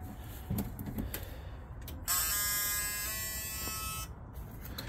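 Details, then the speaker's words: 1999 Ford F-150 4.2 V6 after fuel pump replacement, key cycled to on to prime: quiet background, then a steady electric whine for about two seconds that cuts off cleanly. Normal fuel pump priming. "all right I guess we'll uh just put it in the on position maybe four or five times just prime it we got that fuel pump"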